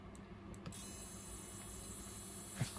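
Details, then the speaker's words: GRIPONE KartCross throttle servo: steady low electric buzz as the servo strains against its stop after its 0% position was set too far back; one step forward stops the buzz. "questo caso il ronzio è eccessivo e quindi il servo motore è in sforzo sono venuto troppo indietro"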